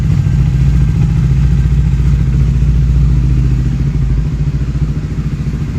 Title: CBR ticking sound inside machine issue